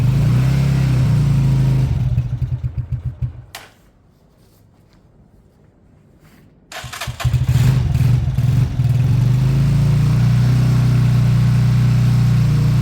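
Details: Beaten-up old Lexmoto bike after the carb fuel feed pipe was fixed and fuel reached the carb: it runs, dies almost silent, then catches and settles into a steady, even idle with no knocks or misses. Normal idle.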